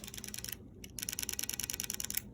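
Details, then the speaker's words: Rebuilt airsoft gun with FCU, battery connected: crisp rapid solenoid clicks, about fifteen per second with short pause, firing properly. "let's see if it clicks don't know if you guys can hear it but it is clicking"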